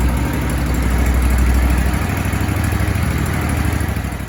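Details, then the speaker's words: Grasshopper or Toro zero-turn mower probably sitting about four months with suspected stale carburettor fuel, after starting on external fuel through the intake: runs on its own with a low, steady thump that settles, no misfires or stalling; good idle. "Uh-oh, we got something. Got good idle. yeah."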